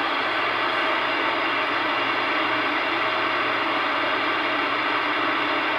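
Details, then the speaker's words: CB radio receiving on AM channels 15 to 20: a constant rushing hiss with a faint low hum, steady and unpulsed, that moves between channels and stops abruptly. The interference source is unknown; possibly a radar signature, not confirmed. "it abruptly stopped it kind of sounded like a radar signature but i'm not sure"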